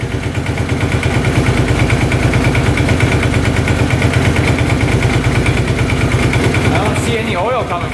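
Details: 2005 Kawasaki Prairie 700 twin ATV: steady, even idle with a regular low throb of about three beats a second and no misses or knocks. Normal idle, with no oil from the breather.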